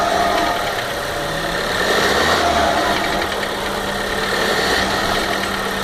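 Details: 2015 VW Golf Variant 1.4 TSI at 3,000 km: fast light ticking about four a second over a steady idle, like a lifter tapping; owner suspects lubrication sometimes failing, dealer has not found the cause.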